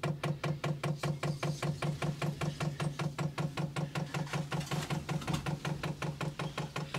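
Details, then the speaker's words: 8 kW (labelled 5–8 kW) Chinese diesel heater being set up in a greenhouse: steady, even dosing pump ticking at about 2.5 per second over a low hum. This is normal priming before the first start. "You can hear it clicking away. So that's just priming the pump. We're going faster now."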